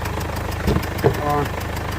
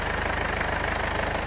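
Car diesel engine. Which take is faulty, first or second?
first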